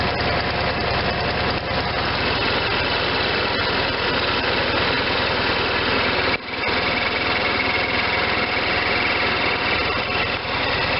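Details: Case Ingersoll 448 hydriv garden tractor with twin-cylinder Onan engine, running after installing a fully rebuilt N46 mower deck with a new belt: even drone with the deck spinning, steady speed, no slapping or squeal; sounds good, belts tracking well.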